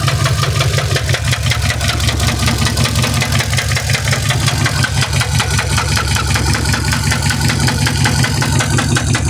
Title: mercedes benz s550 w221 4 matic what is that noise?